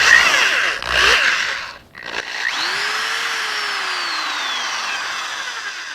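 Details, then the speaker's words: DeWalt DW106 double-insulated corded drill, polarized plug, forward: motor spins up with quickly rising whine, holds even pitch that slowly sags, no rattle; still cranks, variable speed good; normal running. "This thing cranks, obviously, and it's still running really good. And the variable speed is running really good."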